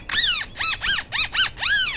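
Six sharp rising-falling squeals, one per compression of the post by hand; a dry, noisy suspension seat post with no other background.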